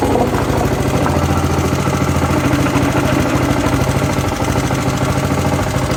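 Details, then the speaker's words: Honda GCV160 engine on a Pubert wheeled brush cutter after repairing a broken exhaust valve rocker arm, oil change and tappet adjustment: steady, even single-cylinder putter with no knock or misfire, now sounding like a normal engine; normal running. "e diferente. Ahora suena como suena un motor de estos normal."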